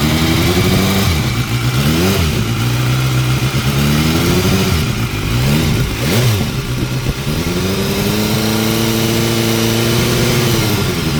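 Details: 2016 BMW S1000R on Motul 7100 5W-40, 600 miles after the last service, baseline before switching to Castrol Power 1: warm, even idle with quick, clean throttle blips and light top-end valve ticking; healthy engine.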